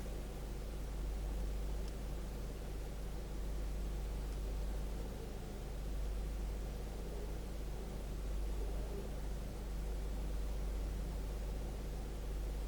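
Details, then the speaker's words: 2012 Chevrolet Spin idling, heard from inside the car, after the tinny rattle was traced to the canister purge solenoid: a steady, low, even hum with no tapping or ticking; quiet, normal idle. "Parou o barulho, pessoal. Agora ficou um motor silencioso, original, igual a Spin tem que ter."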